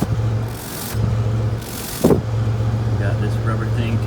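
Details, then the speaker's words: 1998 Toyota Tacoma, 243,000 miles, idling after muffler replacement: low, steady burble with no rasp, puffing or hiss from the hole or the new muffler; exhaust sealed and quiet. "No sounds coming from this hole, that's great. Or from the muffler itself. Pretty excited about that."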